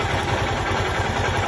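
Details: 150cc motorcycle that wouldn't electric-start due to bad ground/burnt starter relay, started by jumping the wire to ground: steady, even single-cylinder idle with regular low thump, no misses or clatter; runs normally.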